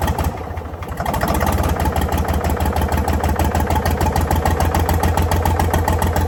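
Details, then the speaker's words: Previously seized Ford 4000 diesel tractor catches and chugs unevenly at fast idle around three beats a second on starting spray, struggling to keep going; owner suspects throttle and air, possible diesel leak. "Okay. So, that's definitely not running on a start for that extended period of time. And it's got to do with throttle and air."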